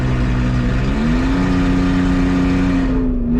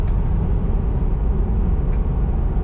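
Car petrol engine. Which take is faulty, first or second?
first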